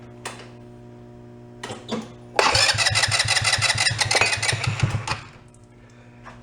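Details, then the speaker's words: ATV that sat unused, cranking with a bottle feeding fuel; owner suspects poor gravity fuel flow through filter, water in carb, or vacuum fuel pump not working: a few short bumps then about three seconds of even cranking, no firing; crank no start. "not good drop it it sounded like it was getting gas"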